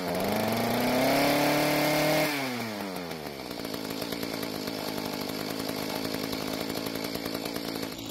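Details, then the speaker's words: Mantis two-stroke tiller after carburetor adjustment (L screw half turn counterclockwise, idle screw clockwise), previously leaking gas and not starting; winds up cleanly to steady high pitch, drops to stable idle without stalling; normal running. "So after the adjustments, it seems to work a lot better now, but I need to try it on some dirt to make sure I don't need to adjust the carburetor when the engine is under a load."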